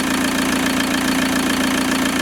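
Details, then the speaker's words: VW T25 van with TDI engine swap, just after overhauled injectors with new larger nozzles fitted: even, quiet diesel tick-over with soft regular clatter, no knocks or rattles; normal smooth idle. "Well, that gives you a much better idea as to how quietly and smoothly this engine's ticking over."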